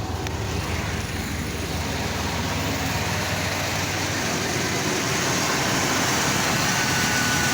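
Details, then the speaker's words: 1995 Chevy/GMC truck, first start after sitting four to five years, fuel pump heard priming beforehand. It holds a steady, even idle with a smooth pulse and no knocks, ticks or squeals under the hiss. Normal idle. "first time starting five years she sounds good four to five years somewhere in there she's set"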